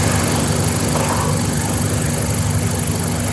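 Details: 2013 Hyundai Santa Fe after replacement engine install, first start with all new fluids: steady, even rumble at idle with no knocks, ticks or misses; engine runs smoothly.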